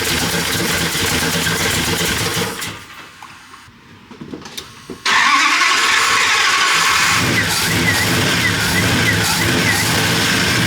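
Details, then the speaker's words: V8-swapped Ram 50 truck just after camshaft install, first start without cooling system: cranks, catches, then a loud, choppy, loping V8 idle with a steady beat; normal lumpy cam idle. "Sounds good. >> Absolutely."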